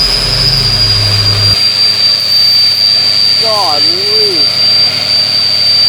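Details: Ford 6.0L Powerstroke that was loping and missing with white smoke, now with cleaner added. Smooth, even running with a loud turbo whistle and no misfires; white smoke of unburnt fuel remains. Normal running.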